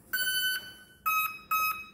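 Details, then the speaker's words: Carbon-Z Cub SS 2.1m RC plane with a 6S 4000mAh pack just plugged in: four clean electronic beeps, one long then three short; normal ESC startup tones. "so now that's gonna allow the receiver to initiate the dance and then the song tells you this ready"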